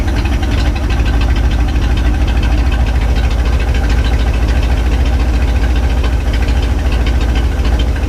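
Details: 1967 Chevy C10, 327 V8, 11,200 miles, first run in 33 years after fuel system work and timing set, no exhaust: deep, even, loud idle with regular firing pulses, no knock or misfire; normal idle.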